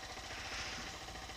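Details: 2018 Honda CG 160 single at about 13,000 km, just started and warming up: fast, even top-end tapping over the idle, steady with engine speed; owner suspects a faulty camshaft bearing, a known defect in that series.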